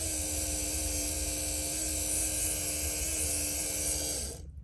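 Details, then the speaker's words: Q50 with no-start, fuel pump switched on and off via scan-tool actuation test: even, steady electric hum that cuts off cleanly; pump runs when commanded, owner still plans to replace it. "what I just did there is I turned the fuel pump on and off so fuel pump relay off if I hit on you're going to see the fuel pump just turned on"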